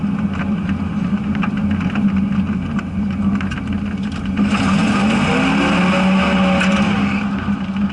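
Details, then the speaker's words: Car with 3-speed automatic in second gear: drone rises into a whine past 1,500 rpm toward 2,000 rpm with slight resistance; engine over-revving, upshift to third drops it to about 1,500 rpm. "Starting to hit 2,000 RPM. It's not wanting it, but I'm starting to feel a little resistance. Shift into third, drops down to 1,500 RPM."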